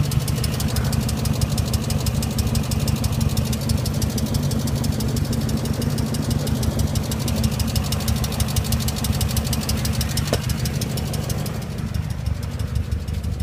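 Idling V8 with a steady, fast ticking knock riding over the engine note throughout; a bottom-end knock is possible but unconfirmed.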